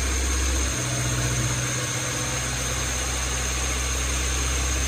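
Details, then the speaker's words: Honda D16Y7 engine after swapping to a D16Y8 intake manifold with air injection holes plugged by bolts: fast steady idle around 2500 rpm that won't drop; suspected throttle body gasket or air injection holes, not confirmed. "The issue I'm having is it is idling super high, like 2500 RPM."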